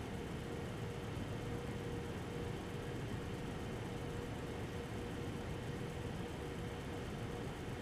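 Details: Eight-year-old MSI Radeon HD 7970 Twin Frozr III after fan replacement, running Time Spy benchmark: steady even airflow rush with faint constant hum, no ticking, rattle or wobble; normal healthy fan noise, coil whine unchanged.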